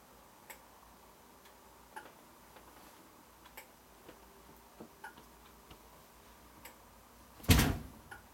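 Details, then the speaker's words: Scratch-built 2 ft model cellular and microwave repeater tower on 120 V AC power supply: light crisp clicks about once a second as relay circuit board switches tower lights on and off; normal relay clicking. "now you see the lights come on the clicking noise you hear of course that's the sound of the relay clicking the lights off and on"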